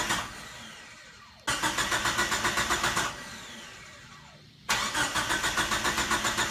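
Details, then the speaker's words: Mitsubishi Mighty Max with a swapped 4G63 engine, first start attempt: two long bursts of steady cranking at about four turns a second, and the starter engages the flywheel, but the engine never fires. Crank no start, suspected lack of fuel. "The engine does crank, and you can see the timing wheels turn, which means that the starter does connect to the flywheel correctly, which I wasn't so sure about, but those work. Unfortunately, it's not firing"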